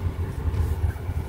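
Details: Noise heard on dirt roads traced to a loose brake pad (balata) with play; after fixing, low steady road rumble with no bangs or clunks from the wheel, brakes quiet and healthy.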